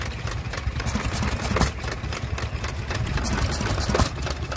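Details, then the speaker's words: Small Hercules open-crank hit-and-miss stationary engine at a rally: low, uneven thumps with quiet gaps between firing strokes at a slow steady cadence; normal running. "Here we have a little Hercules, isn't that lovely? Absolutely lovely little engine that. I do like open crank, hit and"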